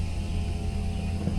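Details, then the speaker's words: Electric-converted Ford Mustang Fox Body (500 hp, manual gearbox, in third) at key-on: low, steady droning hum with no rattle, the electric brake vacuum pump running normally since no engine vacuum exists. "This noise you're making is... It's the servo It's the vacuum pump, right?"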